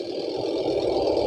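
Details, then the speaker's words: Panasonic twin-tub washing machine: a smooth, fast, even whirr that builds slightly and holds steady, with no rubbing or labouring; normal spin. "semuanya berjalan lancar, sempurna. Lihat, benda ini berputar sangat cepat sekarang."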